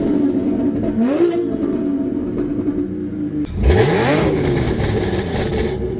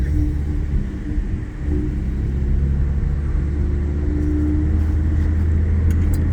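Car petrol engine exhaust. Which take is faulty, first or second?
second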